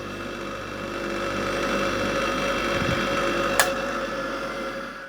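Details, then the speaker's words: Aged bench grinder from a storage shed, powered through an appliance tester with the earth connected: a quiet, steady hum with no rattle, wobble or vibration, then a long, slow, smooth wind-down. The motor is healthy. "it's quiet it virtually doesn't vibrate at all uh I think that's actually a nice bench grinder"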